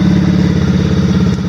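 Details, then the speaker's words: Brand-new 110cc Chinese fully automatic ATV, first ever test start after assembly: small single-cylinder engine idling with quick even putter and steady pitch, no knocks or misses, transmission running pretty good; normal idle. "so we're going to go for the first test start ever of this machine unless they test it in the factory transmission running pretty good"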